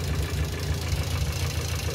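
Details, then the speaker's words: Idling engine with suspected hydraulic lifter clatter at startup, running for 10 minutes on old oil dosed with engine cleaner: rough idle with fast uneven clatter, louder than before; owner attributes it to the cleaner degrading the oil before an oil change. "vous voyez le bruit café j'ai l'impression qu'elle claque encore plusavant bah ça c'est l'effet du nettoyant ça a dégradé déjà l'huile"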